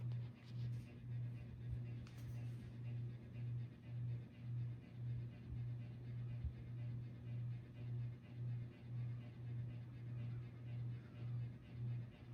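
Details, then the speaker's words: 48-inch Harbor Breeze Cobra Elite ceiling fan, about 20 years old, on low speed: low hum swelling and fading about twice a second, constant buzz and vibration; owner believes the blades are vibrating, cause unconfirmed. "It's a 48 in fan too. I don't know why, but it has really bad buzzing problems. So it just like vibrate constantly."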